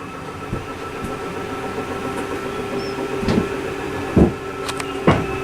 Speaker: we hear that loud like ticking noise that means it's all the way out with nothing when you further just stop right there